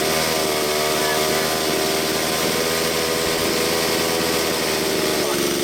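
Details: Stihl MS170 chainsaw after upgrades (12-inch bar and full chisel chain, muffler mod, adjustable carburetor, timing adjustment), carb screws tuned: steady high-pitched two-stroke buzz at even speed, no stumbling or surging; normal running.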